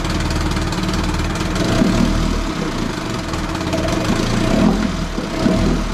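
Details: 18 hp Evinrude outboard sitting in water after the carb was refitted, air screw still being adjusted: the idle rises and sags unevenly with a rough, wandering beat. It is surging and keeps cutting out; owner suspects fuel supply, since the primer bulb helps briefly.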